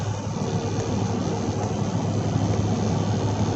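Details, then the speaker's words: 2016 Chevy Silverado 5.3 direct-injected V8 after a P0300 misfire fix (a spark plug with no spark): cruising near 70 mph, steady smooth engine drone with no stumble, road and wind noise; running normally. "this this truck is running really [Music] nicely"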